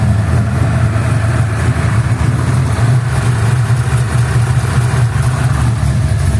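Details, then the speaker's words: Cold start of a freshly built 349 V8 after first valve adjustment (half-turn preload), new Autolite 3924 plugs and low-ohm wires, cleaned rotor: deep steady idle, even exhaust beat, previous slight valvetrain tick gone; normal cold idle. "no ticking now so we'll let it warm up for a second"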